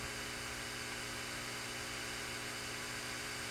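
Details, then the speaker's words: 10 V zener diode with a 68 µF 16 V tantalum capacitor across it, in a test fixture: only a faint, even hiss and soft steady tones. Zener noise is normal and quiet. "As you can hear, it's pretty quiet, right?"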